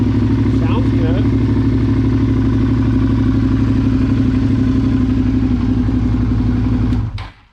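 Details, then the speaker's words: 2009 Suzuki SV650 V-twin with about 8,700 miles: steady, even idle thump with no knocks or rattles, then a clean shutdown; normal running. "want to hear it run it does run sounds good"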